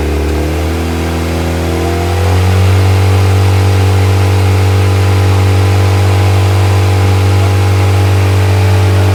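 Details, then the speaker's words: Viking engine in CH-750 aircraft during ground run: smooth, even drone picking up slightly in speed then holding a steady clean beat, no misses or knocks; normal running. "now we have disconnected our in charge or externally we can turn both batteries along and ending on out run on the alternator is charging so that's another so everything is working as it should in the airplane"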